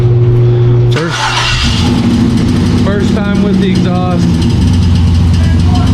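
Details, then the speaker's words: Bronco II crawler with a swapped 2005 5.3 LS V8 and Turbo 350 transmission, first start on open manifolds: the starter cranks for about a second, then a steady, even idle with a smooth exhaust burble; normal idle. "time with the O2 sensors sounds really good that door it's met with the exhaust all right much better"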